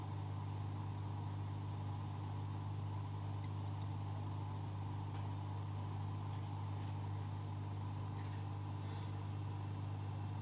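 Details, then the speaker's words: Oase Biomaster Thermo 350 aquarium canister filter after maintenance and priming via the button: soft, steady low hum, no clicks or rattles; running normally and quietly. "dans le clan suivant donc la petite minute 2 vidéo qui va suivre ça sera effectivement le bruit de l'appareil en fonctionnement sous le silence le plus absolu écoutez bien"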